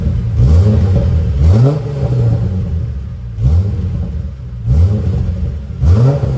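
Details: VY Commodore work wagon after new exhaust from extractors back: Redback 2.5" cat-back, centre muffler, rear resonator, twin 2.25" section with high-flow cats; quick throttle blips rise and fall cleanly, deep even note, no rattles or leaks: normal exhaust note.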